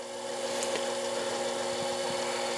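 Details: Metal lathe boring a hole that is out of round: steady scraping rub with faint ringing over spindle noise as the boring bar drags at the bottom of the hole.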